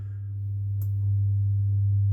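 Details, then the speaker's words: Celestion Ditton 33 woofer after crossover recap and rewiring, playing low test tones: a clean, steady low hum with no scraping or buzzing; the earlier rub-like sound is thought to have come from loose connections, not voice coil rub; normal. "yep quite happy with that so I think really probably loose connections and things were causing that sound whilst it sounded like um voice coil rub"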